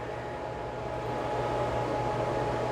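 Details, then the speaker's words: Bambu Lab H2D 3D printer after startup: steady, loud whooshing fan with constant hum, stuck at full speed nonstop; errors report heatbed and chamber heater faults, AC board possibly broken. "But when I turn it once it sets up, starts up, you can hear that fan running. It's this fan. And that fan just runs non-stop. It's loud enough that it really irritates me."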